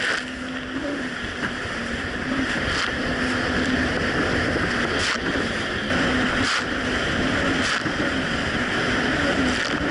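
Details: 2007 Yamaha VX Cruiser jet ski under way on choppy Lake Michigan after a $10 fix for surging and power loss, which a narrow gap probably caused: a steady engine drone over wind and splashing water, no surging or hunting, pulling evenly.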